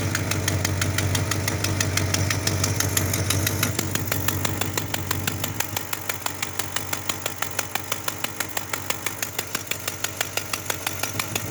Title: Exhaust Leak